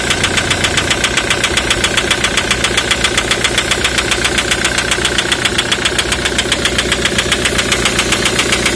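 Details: 2003 Ford Mondeo 3 2.0 TDCi (FMBA), Delphi common rail injectors EJDR00301Z at idle: sharp, even metallic ticking about 150 a minute, injector knock from faulty multiplier (return) control valves.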